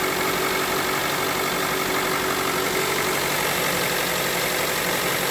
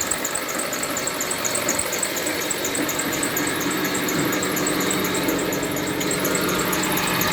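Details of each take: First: Mitsubishi Lancer X running on gas, cold, after crankshaft pulley with torn rubber replaced: steady idle, slightly uneven beat, knock gone, mild roughness blamed on gas and cold engine. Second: Mitsubishi Lancer X engine running with heavy knocking, oil spraying over the engine bay: fast uneven knocking and light rattle over a steady hum; crankshaft pulley damper rubber broken, bolt loosened, pulley wobbling, pulley replaced.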